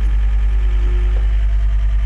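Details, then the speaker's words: John Deere track skid steer, believed 329D, idling after left joystick electrical repair: steady even low engine drone, no knocks, misses or surges; no fault codes, both joysticks working, machine running normally. "no codes so that's a fix guys so Machines working as it should now"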